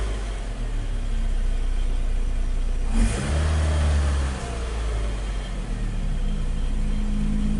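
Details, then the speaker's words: Saturn Ion engine rebuilt after a No. 4 cylinder misfire caused by burnt head valves, first start after rebuild: even idle, then a clean rev that falls back smoothly with no stumble or miss; check engine light on, cause unknown. "first time guys start up another start it's pretty smooth"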